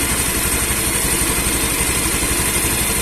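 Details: Honda Beat eSP scooter with code 52 and sudden stalling, after insulating a wire that was shorting to ground: steady, even idle pulse at about two beats a second with no stumbling or cutting out; idling normally.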